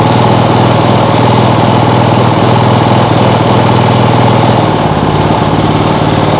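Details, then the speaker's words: Small single-cylinder lawnmower engine on an outboard rig, flywheel possibly too small: loud chatter runs unevenly, then sags and stumbles when throttled too fast, shaking a lot; owner fears a bent crank, cause unknown. "Why does it fall on its face? Strange. And it also shakes a lot, which is Do we have a bent crank?"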